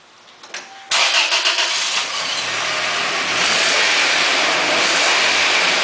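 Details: 1998 Toyota Tacoma 2.7L 4-cylinder after new spark plugs and wires (cylinder 2 misfired in wet weather before): cranks briefly, catches at once, settles into steady, smooth idle without stumble; normal idle.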